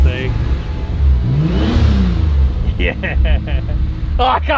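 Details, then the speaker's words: Turbo Ford Fairlane first start after finishing the new boot-mounted fuel system: engine fires, blips up and settles back smoothly with no stumble or knock, no fuel leaks; runs clean and healthy. "well that's it god sounds good no leaks sounds sick in the boot"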